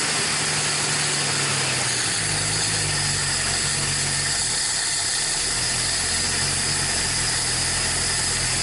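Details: 1961 Dodge Lancer, Chrysler 225 six, first start in 30 years: steady idle with even low pulse under loud hiss, no knocks or misses; running fine.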